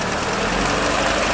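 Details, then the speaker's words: 2007 Chevrolet Lacetti 1.8 petrol, engine running with light throttle: busy metallic clatter, "bucket of bolts", from vacuum-actuated variable-length intake manifold flaps whose worn shaft bushings let them rattle; intake manifold flap rattle. "они стучат эти заслонки их на довольно таки слышно когда вырабатываются на оси там есть втулки вот они вырабатываются начинают звенеть"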